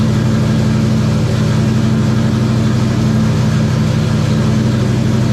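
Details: 1994 Terry Labonte NASCAR Oldsmobile V8 after a cracked plug, a nearly closed plug gap and bad wires were replaced: a deep, even rumble with a steady beat and no misses; normal running.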